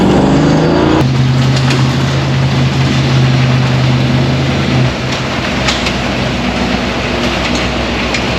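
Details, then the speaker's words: 1972 Chevy K5 Blazer V8 with Holley Sniper EFI, after a 143-mile cold drive home: a steady, fast-running drone that never drops to a low lope; the idle won't go under 1,000 rpm. "You hear that high idle? Yeah. It's like high idle, look in there. It's like, I can't get it to idle under 1,000 RPM."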